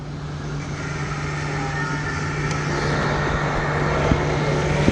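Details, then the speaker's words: 2002 VW Polo 1.2 three-cylinder AZQ cranking but not starting: starter churns at a steady even rate under a constant hum, never fires; scope shows no coil trigger or current, no spark. "stop that kazoo meant nothing completely dead no current no trigger no nothing"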